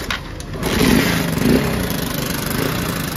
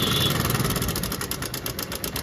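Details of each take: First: Honda Shine motorcycle, battery dead so no electric start, choked and kicked after repairing cut wiring; small single catches and holds a steady even idle, starting normally, though timing chain tensioner noise is noted. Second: Honda Shine motorcycle just started on choke after cut wiring repaired, battery dead: fast even ticking rattle over the single-cylinder idle, attributed to the timing chain tensioner making a lot of noise.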